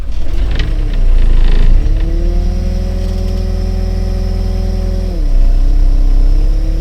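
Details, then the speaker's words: Pel Job LS2000 excavator with a Rexroth A10VO28 variable pump, a port plugged so only the valve body feeds it: diesel settles, then pitch sags and drags down around five seconds. Engine is labouring under hydraulic pump load; the fix failed. "Well, as you just could hear, that's also not a solution. Engine is still troubling, so nope, not the fix."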